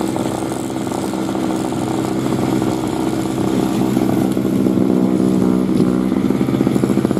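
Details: 2003 Murray single-stage two-stroke snowblower, first run in 5 years, revved while clearing snow: steady buzzing note holding speed without stumbling as it works hard. Healthy running under load.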